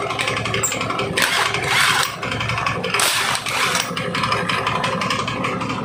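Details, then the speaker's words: Honda Beat carburetor scooter CVT running with a coarse, uneven rattle and bursts of clattering from the belt drive, plus belt slipping; worn CVT, case interior found very wet after disassembly. "yang jadi penyebab suara CVT kasar ini atau perosotan seperti ini apa ya teman-teman"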